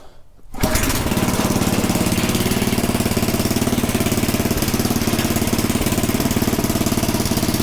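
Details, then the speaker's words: Small Predator single-cylinder engine (about 96–99 cc) on a front-tine rototiller, after tightening the slipping belt, with a new filter and a good plug, warming the oil: it catches within a second, then a steady beat of about 3.5 pulses a second; runs clean. "yeah that should be good to go i think we are set so let this run a little bit just to make sure get the oil a little warmer"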